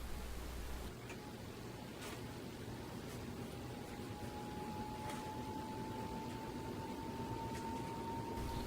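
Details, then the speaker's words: Pompeo YG618-WH 52-inch outdoor ceiling fan on high speed, reversed to blow air down: steady mid-pitch motor whine over a soft airy hiss, heard only at high and medium speeds; no wobble. "you hear the whine come back this only happens on high-speed to medium speed"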